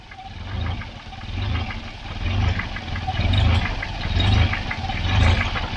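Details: Volvo 940 Turbo, warm idle after a thermostat fit, surging up and down roughly once a second and never settling; owner first suspects a split vacuum line or bad sensor; cause found to be a leaking fuel pressure regulator.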